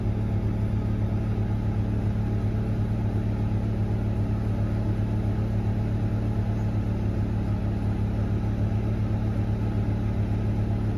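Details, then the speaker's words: Honda generator running a Windsor caravan's Victron Multiplus with the Heron 2.2 air conditioner and charging. The set limit is over what the generator can supply, so the Multiplus backs off charging and the generator is really loaded up. Steady, even low drone with no hunting. "now she's really loaded up okay you can hear it here i can hear it she's really loaded up"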